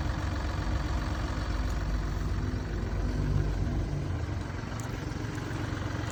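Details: Mini Cooper D three-cylinder diesel at idle: loose, uneven rattle under the beat from a broken dual mass flywheel, which holds the clutch springs and fails through wear and tear; described symptoms are juddering after lifting the clutch and hissing.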